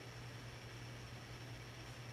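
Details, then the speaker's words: 1982 52-inch Hunter Original ceiling fan #22822 (Robbins & Myers era), bright brass, Reverse-Aire brackets, converted from two-speed to three-speed with a capacitor, running in reverse. Quiet even motor hum under soft air hiss; little wobble on low, slight on medium; normal running. "you know not much wobble on the low reverse setting and may just a little bit on the medium reverse and nothing to be concerned about"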